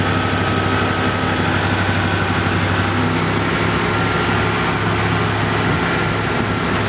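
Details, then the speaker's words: 1986 Ford LTD Crown Victoria with 5.0 Explorer engine, GT40P heads, A9P computer, KOER cylinder balance test cutting injectors in order: rough uneven V8 idle, stumble about twice a second, hood shaking. Induced single-cylinder misfire. "cally what a misfire sounds like one cylinder is completely complely dead so it'll kill each injector numerically starting from one 1 2 3 and four on this side of the engine"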